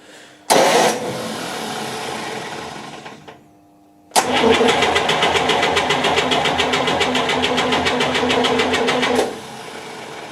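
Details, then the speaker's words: 1958 GMC Apache pickup that sat outside 3+ years, cranked with the plugs out during a compression test; even cranking at about four pulses a second, compression sounds consistent. "So let's see if we can crank this and see what we've got."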